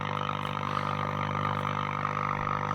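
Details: Breville Pick-Me-Up 5 valve radio during restoration, HT being brought up slowly on a dim bulb to about 107-140 V: steady low drone with fixed tones and no station or voice; hum only, no reception yet, oscillator unconfirmed.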